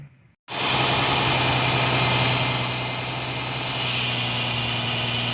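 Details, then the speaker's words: Steady, even idle with a smooth low drone and no ticking or puffing on a 2006 Dodge Charger 3.5L, after a leaking exhaust flex joint was cut out and a new stainless pipe welded in; no leaks. "sounds good no leaks ugly 12 tires no leaks"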